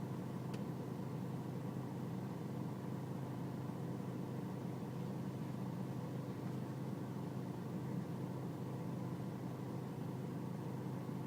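Quiet, low diesel idle with a slightly uneven, wavering beat rather than a smooth even clatter; the engine is idling rough.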